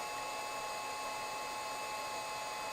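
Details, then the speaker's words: Computer with Windows 98-era Celeron just switched on, used to drive a new-in-box 1985 Epson DX-10 printer: steady fixed-pitch high whine with airy hiss, like a jet taking off; loud power-on whine, source unknown. "it sounds like a jet airplane taking off"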